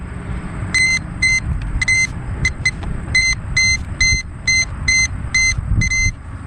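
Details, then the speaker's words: 1999 Land Rover Discovery 2 that sat for years, not running: multimeter on audible continuity across under-hood fuses, about a dozen short sharp high beeps over low rumble, each meaning a good fuse; one 30 A radiator-fan fuse found blown. "I'll just put the leads from my multimeter across the fuses, and we'll hear it beep if the fuse is okay."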